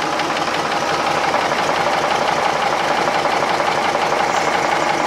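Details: Restored marinised Gardner 5LW diesel on test with a temporary starter: even, unhurried beat near three firings a second, no knocks or misses; healthy normal idle.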